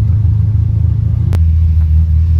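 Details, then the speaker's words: Big block Monte Carlo on a test drive after steering work: deep, even V8 rumble at steady cruise with no misfire or knocking; engine sounds strong and healthy. "Successful cruise. Steering's great, but listen to this thing. This little big block here, that sounds excellent."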